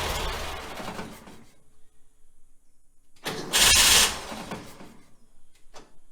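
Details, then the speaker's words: 1966 VW Type 3 Fastback with a newly fitted starter: cranking is ragged and uneven with dead spots, then a harsh metallic grinding burst before it fires; a chewed-up flywheel is suspected, unconfirmed. "The starter, the new starter, still sounds kind of crazy, so I'm guessing maybe the flywheel has gotten chewed up a little bit more in more spots, and that's why it's sounding a little rough."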